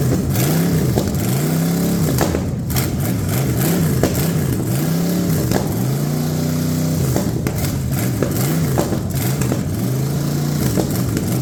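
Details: Ford 460 big-block from a neglected farm chore truck, first run on a gravity-fed lawn mower tank and the original mechanical fuel pump, no cooling system: clean repeated throttle blips from a steady idle. No smoke, no clatter or ticking, great oil pressure.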